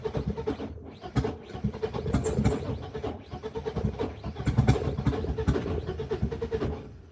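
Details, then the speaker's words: BMW E36 M42 on newly fitted Microsquirt standalone ECU, first start attempt: uneven starter churning in bursts, engine turns over but never catches; owner suspects the battery is partly to blame. "Okay, so she's not starting right now. Part of that I want to say is just based on the battery."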